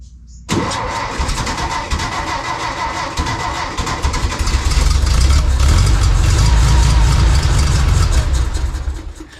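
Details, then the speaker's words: 1952 VW barn door ambulance, 25hp motor, on choke. A steady crank at about four beats a second never catches into an idle, starved of fuel because the reserve switch sat in off; once switched on, it ran well. "The problem was the fuel reserve switch. I had it on off position instead of on."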